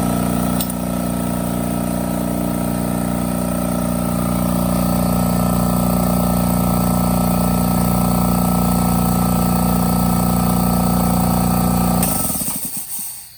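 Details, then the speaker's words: Craftsman air compressor running after its regulator was replaced with part D27253 and the threads taped. A loud steady pump drone with an even, regular chug and no leak hiss, then it shuts off; running fine. "I'll flip this on might be a little loud you might not be able to hear hear that air leak if there is any but there shouldn't be"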